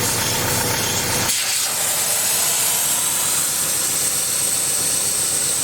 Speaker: You can hear the hissing. I thought I blew a hydraulic line. Um but what actually happened was I broke my valve stem cap, I guess.